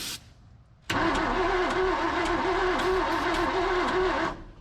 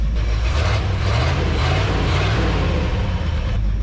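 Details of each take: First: Abandoned 1978 Ford F250 crew cab, formerly seized engine, with a new distributor: steady rhythmic cranking with a wavering starter note, no catch, after backfiring and intermittent spark loss; suspected distributor or spark problem. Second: 1978 Ford F250 crew cab with a hot cam, engine once stuck and revived after decades abandoned, warming up at idle: steady, even low rumble with no knocks, misses or ticks; normal warm idle, no oil leaks seen.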